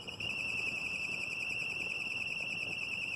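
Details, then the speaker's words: Car accessory drive belt: thin, steady high-pitched squeal with no break. Slipping serpentine belt noise, which is often mistaken for a tensioner pulley bearing. "Hay que hacer una correcta inspección porque a veces lo confunden con el ruido de la banda, que se escucha algo así."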